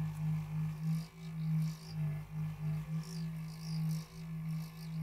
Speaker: Thing sounds like an old refrigerator. So this is obviously a mechanical issue, so the bearings in the fan are dry.